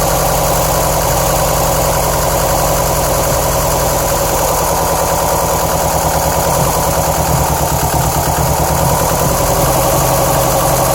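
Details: 2007 Subaru STI at idle, with misfire codes on cylinders 1 and 3 and bogging under acceleration: loud uneven loping idle with knocking undertone; owner reports loud lifter knock at low rpm and noisy belts, cause unconfirmed.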